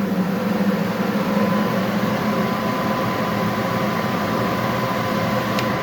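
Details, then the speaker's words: Universal Effect ST 350 foam machine test: turbine launched, foam sock standing, then pump button pressed; steady even blower roar with faint constant tone, no surging or knocking; turbine and pump running normally. "Voilà, la turbine elle est lancée, on a bien la chaussette qui est debout."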